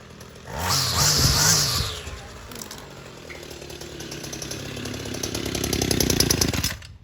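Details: Homelite UT32650 string trimmer after a HIPA replacement carburetor (Walbro style) was fitted, primed and started on full, then half, then off choke: a brief rev, then a steady high buzz without surging or dying; runs cleanly.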